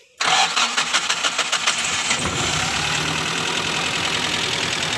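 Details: Futura injection with check-engine light, hard starting, stumbling above 2000 rpm, code P0311 stored: quick crank and catch, then slightly uneven stumbling idle; misfire still present, ignition coil number one suspected.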